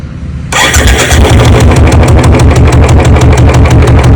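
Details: Royal Enfield Bullet just after a service: catches on the first crank, then settles into an even, deep thump-thump idle at about three beats a second; sounds healthy, owner notes the sound has changed a little after servicing.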